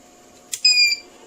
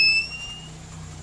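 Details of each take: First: TBE 2000 W power inverter after repair, giving about 218 V AC and running an electric fan, switched off and on again: a single short beep under half a second, then quiet; a normal startup alarm while the capacitors are not yet charged. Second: TBE 2000 W power inverter with no output, under repair: a single short high-pitched beep fading over a faint low hum, as the protection trips the alarm and no waveform appears.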